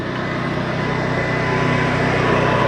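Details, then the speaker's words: Cummins Onan 3600 generator on a Jayco Melbourne 24L motorhome, just started after priming: steady even low hum with smooth mechanical drone, no knocks or surging; running normally. "Now they say it's not good to turn the generator right on and off, so I'll leave that running just for a second while I continue to talk about your control panel."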